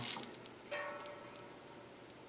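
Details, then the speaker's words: 19-inch G07 arcade monitor chassis with cracked main board, first power-up after repair with anode, neck, yoke, ground and power connected: sharp crackle then brief buzzing hum from the metal frame that fades; high voltage present, no smoke, cause unclear. "Well, some odd noises there from the metal frame. But nothing exploded, and we had high voltage."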